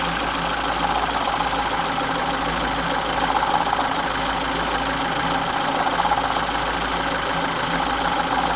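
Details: 2002 Ford Focus Mk1 1.6 Zetec SE/Sigma, 205k, timing belt replaced at 168k; idle with light metallic rattle whose strength changes with revs; owner suspects timing belt tensioner, upper cover not yet removed, unconfirmed.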